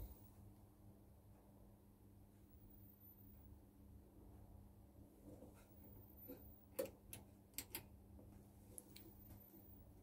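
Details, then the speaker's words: CRT of an old, well-worn home CCTV monitor being rejuvenated: sharp, irregular relay clicks over a steady low hum as the rejuvenator pulses the tube heaters on and off, normal operation; the tube then reads stronger. "What it does is it keeps pulsing and it turns the heaters on and off. So you hear the relay clicking, the heaters come back in there now."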